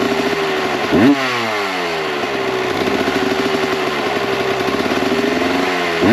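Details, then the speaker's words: 1998 Kawasaki KX125 two-stroke, rebuilt OEM carb on stock jetting (believed 42 pilot, 160 main): two sharp throttle blips falling back to a blubbery, uneven burble; running too rich with too much smoke, so jets are being reduced to 38 pilot/158 main. "The stock jetting of 42,160, I believe were the numbers, was a little too rich, too much smoke, and better on the fueling than what we had before, but still not perfect."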